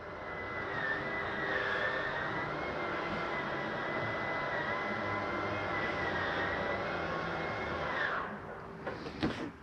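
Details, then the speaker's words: Normal slide-out retraction on a 2013 Sunnybrook Raven 3250RE: steady, even motor hum and gear whine for about eight seconds, then a few clunks as it stops fully in. "thing grinding don't fear that noise it's okay to hear for a second or two you know you're all the way in that noise right there"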